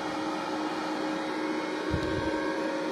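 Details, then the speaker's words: Benz BZ 8914 MMA-120A IGBT welding machine, cooling fan on stock 24 V before modification: steady loud whirring hum with airy rush; owner plans a DC-DC converter to drop it to about 12–15 V. "Jadi untuk kipasnya agak berisik ya ini kalau malam-malam ada pengelasan ini berisik sekali"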